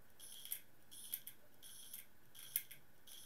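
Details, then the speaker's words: Laptop hard drive with circuit board swapped from an identical-model drive, on test bench: repeated sharp clicks in short bursts about every 0.7 s, drive not detected; board swap failed. "ah that doesn't sound good and no drive shows up and it's clicking really badly"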